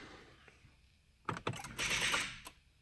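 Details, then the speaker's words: 2015 Honda Civic Si stored in the garage over winter, after jump-starting from another car: pressing start gives a short cluster of dry clicks and rattles with no cranking while electrics work; click-only no-start, battery suspected, cause unknown. "and then it changed from trying to crank to basically this right now so i'm going to hit the start button"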